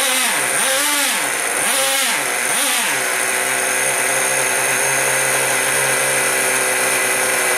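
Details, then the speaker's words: Traxxas Sport Maxx/T-Maxx 2.5 nitro engine after sitting four to five years and a suspected fuel-pressure problem from a blown vent line: high buzzy engine blips a few times then holds a steady, even scream, no misses; running fine. "I don't think it was getting fuel and not enough pressure to push fuel through but now it seems to be working [Music]"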